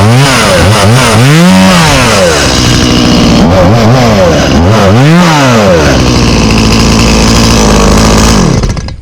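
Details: 1991 Stihl 018C chainsaw started on half choke for the season. The two-stroke buzz rises and falls cleanly through repeated throttle blips, picking up crisply each time; it runs healthy.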